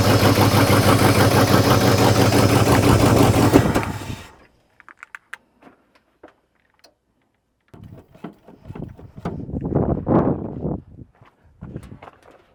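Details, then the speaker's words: Scrap-built carbureted gas dump truck, first start in a long time: catches and runs a few seconds with heavy lumpy beat before shutting off, then shop clatter. Owner suspects timing a little off or aggressive cam; unconfirmed. "yep she's a runner and she might be a little out of time or she might just be that cammed I honestly don't know probably a little out of time"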